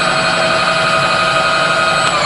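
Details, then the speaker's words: Rebuilt Bridgeport milling machine, 42-inch table, brand new variable-speed power feed on rapid override in both directions: steady high-pitched motor whine easing down at the end, no grinding or clicking; normal smooth rapid traverse. "Moving on, there's a brand new power feed, comes with a 1-year warranty. That's all variable speed. Rapid override, same the other way, rapid override."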